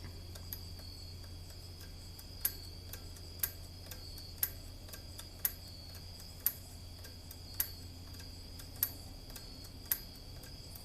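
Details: About 50-year-old R80-Z garage door operator, converted to 10-foot rail and full chain drive: sharp, dry clicks about once a second, unevenly spaced, over a faint hum; relay seems to stick and release late; cleaning contacts didn't help, owner suspects mechanical fault.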